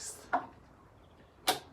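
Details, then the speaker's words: 1989 Kawasaki KX125, engine off: crisp single clicks about a second apart as the shifter is stepped by hand from neutral through first to sixth, each gear engaging cleanly. Normal gear selection; the bike has a separate top-end knock. "right gearbox chip okay so we're in neutral there that's first second third fourth fifth and sixth"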